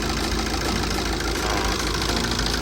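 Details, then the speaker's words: TATA 2.2 diesel after engine rebuild (cylinder 2 bore and piston, head skimmed, valves ground, injector repair cyls 2-3, injectors registered to ECU): starts easily, idles with steady even clatter — normal idle after repair. "แล้วังเเครื่องดีดีนะครับอ่าเสียงเก็จะหายไปเดินนิ่งกว่าเดิมนะฮเรีย"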